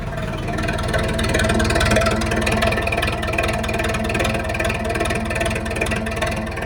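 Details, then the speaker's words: Zetor 7745 tractor diesel idling just after a -10 °C start with 2000 W 230 V coolant preheating, light throttle; steady even clatter with a smooth regular beat, no knocks or misses, purring like a cat: normal idle. "Dám to len tak na mierne na podlahu plyn, bez žiadnych starostí. A je to. A pradie si ako mača."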